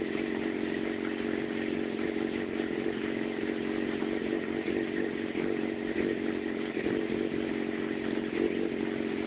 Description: My FZ6 is having problems idling and moving around at low engine speed (less than 3000 rpm).